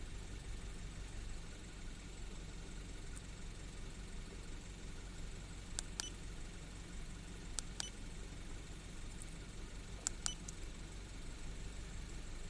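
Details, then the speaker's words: 2012 Mini Cooper S Countryman after replacing a split PCV membrane: quiet, smooth, steady idle without the rushing-air sound heard before the repair. "it's running smoother didn't hear the air running through there like I had before I replaced it"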